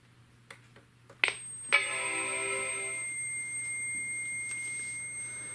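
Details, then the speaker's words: Apple PowerBook 170 at power-on: after a click and the startup chime, a thin, steady high-pitched whine rings from the speaker; said to fade after a while, cause unknown. "Now it does kind of make that high-pitched whine from the speaker. It does go away after a while, but I'm not exactly sure what the reasoning is for that."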